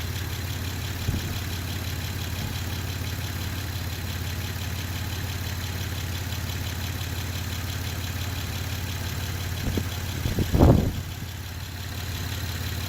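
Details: Honda Pilot SUV idling on a homemade 12V battery of revived dead A123 LiFePO4 26650 cells, battery temperature being checked. Steady, even low hum with no knocks, misses or surges; healthy, smooth idle.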